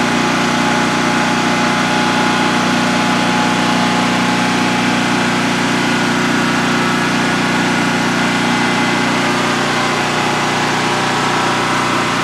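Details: New DuroMax XP15000HX generator installed in a shed, on its second start-up and running on propane with the exhaust fan off: a loud, steady, even drone with no knocks, misses or surging over a 5-minute test run. Normal idle, no issues.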